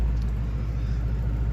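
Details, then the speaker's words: 1956 Emerson 77648-SO desk fan after a cord replacement and long outdoor storage, trying to oscillate slightly: smooth, steady low hum and gentle airy rush with no knocks or rubbing, good air. Normal running. "Good air, as you'd expect. It's even trying to oscillate a little bit."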